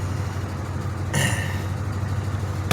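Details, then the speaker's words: 2006 Pontiac Grand Prix after supercharged drivetrain swap, warm with 180 thermostat and coolant gauge below halfway: steady, even low hum with no knocks or misses; smooth, healthy warm idle. "that's in here idling good now makes me happy"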